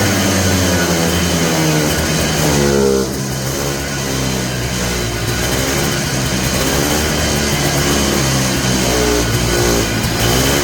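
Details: Polaris Trail Boss 250 ATV (titled 2000, owner guesses 1988 or 1992), just revived with the throttle previously frozen. Revs surge and sag and won't settle; owner suspects the carburetor idle circuit is still plugged. Smoky exhaust.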